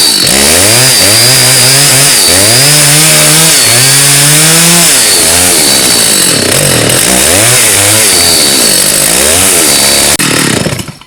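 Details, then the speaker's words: Stihl 084 AV chainsaw, about 32–35 years old, trash find, first start after restoration with good compression and backfiring on start; revs hunt up and down every second, rough and surging; carburetor L and H screws to be reset and tuned; rough, surging running. "I think we better get the screwdriver and give her a tune-up. She doesn't sound too great at all."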